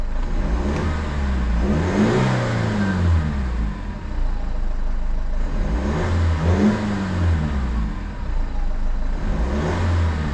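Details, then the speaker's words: 2007 BMW 520d E60, M47 diesel, starting with the engine cover removed: labours and swells every few seconds, struggling to catch and run evenly, sometimes dies by itself; hard starting from an EGR valve fault. "It's starting and it's sometimes the engine it dies by itself. It's accelerating very hard sometimes."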